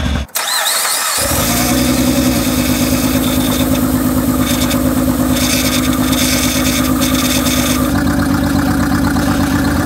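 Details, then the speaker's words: 2006 first-gen Honda Pilot V6, about 286,000 miles, starting and idling with many misfire codes: loud, uneven chuffing and stumbling beat from a bad misfire plus a very bad exhaust leak at the downpipe; plugs and coils unchanged for 180,000 miles, to be replaced. "it also has a very very bad exhaust leak uh at the downpipe but it gives you an opportunity to listen to the misfire uh in one of its loudest forms so take a listen to this"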